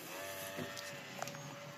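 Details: MSI Katana GF76 laptop cooling fan: a thin, steady whine over the fan's airy hiss; worn sleeve bushings suspected in the non-serviceable fan, so replacement is planned.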